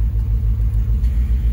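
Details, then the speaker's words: Dodge Charger R/T at idle with the AC on, just after a bad coil pack was replaced: a low, even idle rumble with a steady pulse and no misses. It no longer shakes, only a slight tremble; an O2 sensor code may also be present. "now it doesn't shake like it used to so that is awesome that's good news it's just kind of a little bit of a tremble"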